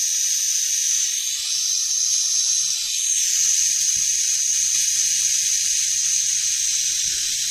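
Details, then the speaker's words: Steyr LG 110 FT air rifle regulator, being serviced for pressure fluctuations: steady, high-pitched, uninterrupted hiss as the cylinder is screwed in and air vents normally, suggesting the Belleville washers are probably working; proper function not yet tested. "you're going to hear the air hiss out, and that'll be an indicator that the air pressure in the Bellevue washers is probably working."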